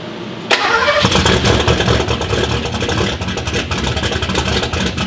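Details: Power Ranger with a "V4" engine with a new top end, first start after a fresh battery and starter. Brief crank, then it catches sharply and settles into a steady, lumpy idle with no knocks or ticks; normal start and idle.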